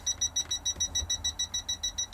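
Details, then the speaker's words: Toptes PT210S combustible gas leak detector at a caravan gas canister fitting loosened to emulate the smallest leak, faint hissing; sharp high-pitched beeps about six per second, continuous alarm. "we're beeping already so you can barely hear that it's the smallest leak that I could emulate"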